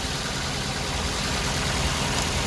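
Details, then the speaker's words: Daihatsu Gran Max, fuel-hungry and low on power: the idle keeps an uneven lope with a knocky undertone, unchanged when cylinder 3 is disconnected. Cylinder 3 is dead, from an injector, coil or spark plug fault. "Nah, ini ya tidak ada perubahan guys di nomor tiga ya. Tidak ada perubahan. Nah, kalau tidak ada perubahan seperti ini ya artinya di silinder nomor 3 ini ya tidak bekerja."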